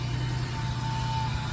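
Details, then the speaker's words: Ford Transit with wrench warning light, just after throttle body replacement, started to run about 15 minutes for idle relearn: low, even rumble with no hunting or misses; normal idle. "Now what we're gonna do, and I'm not gonna keep this running the whole time, we're gonna start it up. And we're gonna let it run for roughly 15 minutes."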